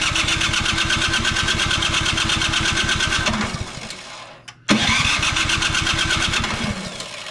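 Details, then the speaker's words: Troy-Bilt Storm 2420 snowblower (model 31AS6KN2B23), customer reports won't start: steady starter chugging, pause, more cranking, never fires; spark later found good. "doesn't seem like we're getting anything"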